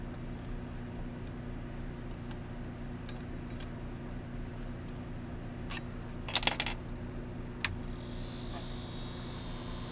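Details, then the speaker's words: Ender 3 printer during build, fan running: faint uneven ticks over a low fan hum as the blade catches each turn; fan not spinning freely, struck by the loose missing adjuster wheel and possibly a bent blade. "It's not spinning freely. It's definitely catching on something."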